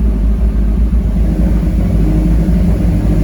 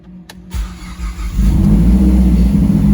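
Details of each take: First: 2010 Mazdaspeed 3 first start after an engine swap, fuel-primed; low uneven rumble with a wavering note as revs rise and settle, running rough; suspected misfire from the old spark plugs still fitted. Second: Mazdaspeed 3 being brought back to life, first start after fuel priming: brief crank, then it catches cleanly on the first try and rises to a strong, even idle; normal start.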